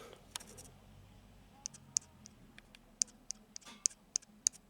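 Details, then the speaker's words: Chicago Coin Gunsmoke pinball, tens score reel turned by hand: light, sharp uneven ticks as the contact wiper taps without touching the board, breaking the alternating-relay circuit; fix is re-bending and re-tensioning the wiper. "here tapping that's because it's not touching so that's why it ain't working it's disconnected so the line is literally broken"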